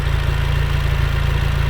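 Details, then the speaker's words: Willys jeep L134 engine, warmed up, baseline exhaust tone: a low, slow, evenly spaced pulse with no puttering or misses. Normal smooth idle. "So this is what the exhaust tone is set like in the position that I want it to be at, okay? So you can hear there's no puttering, it's got an even tone."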